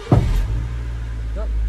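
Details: Honda Civic EK with bogging and bucking from fuel surge after a new fuel pump; after fuel tank replacement, in neutral with almost no petrol, it cranks briefly, catches first go and settles into steady, even low idle; normal start.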